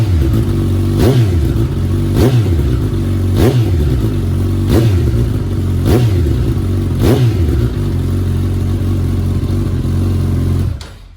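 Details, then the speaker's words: 2019 Suzuki Katana 1000 indoors with a new M4 muffler, baffle in: a steady deep exhaust with about six quick, even blips roughly a second apart, then shut off. Sounds healthy. "That sounds good. That is with the baffle in."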